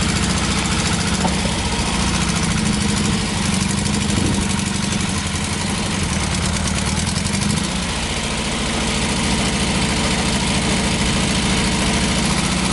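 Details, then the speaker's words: 1986 Toyota pickup, 22R extra cab with a new carburetor, freshly started: rough, loud idle with a deep raw rumble. The open stack sits behind the cab with the muffler missing. Loud exhaust, no muffler. "it has a stack but it has no muffler so it's pretty loud you could probably tell that on the inside"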